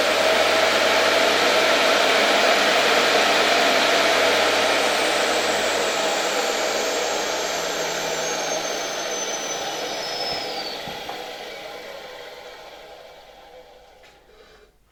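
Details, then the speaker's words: Electrolux model XII vacuum cleaner (1930–1936) motor on a voltage regulator. Smooth, even high whir with a thin intake whistle as it sucks onto the board, easing off as it spins down. No crackle, only a faint old-bearing rumble. "Silnik bardzo fajnie przysysa się do tej deseczki, na której stoi. Słychać nawet gwizd zasysanego powietrza."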